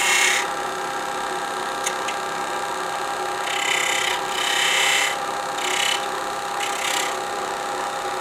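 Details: Woodturning a sapele bell ornament with a spindle gouge on a lathe, thin piece supported by the tailstock to keep it stable; steady hiss of even, unbroken cuts with no chatter, workpiece running stable.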